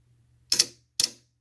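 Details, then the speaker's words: A/C condenser contactor bench-tested with 12 V on its coil gives two sharp, crisp clicks about half a second apart as it pulls in cleanly; coil works, current draw shown on meter. "and as soon as i touch this right here you can hear it pull down and you can see how much current it's drawing"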